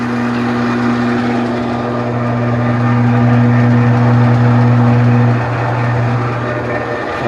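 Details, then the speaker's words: Enco 405Gx1000 (Chien Yeh CY405) lathe test run in forward after cleaning: loud steady gear hum and drone with vibrating door panel buzz; owner attributes it to freshly cleaned, not yet lubricated headstock gears. "his door was vibrating little excessive noise because I haven't lubricated those beers yet I just cleaned them"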